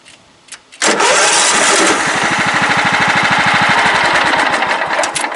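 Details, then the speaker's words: Craftsman LT 1000 lawn tractor, low on fuel with gas just added: brief crank, then fast, uneven wavering put-put that threatens to die; intermittent stalling, owner suspects wiring, unconfirmed. "Something's happening with the wiring. Come on, stay alive. What the hell is going on? Like, really? Let's wait a couple minutes. And it fires up. I don't understand. I gotta mess with the wiring on this for sure."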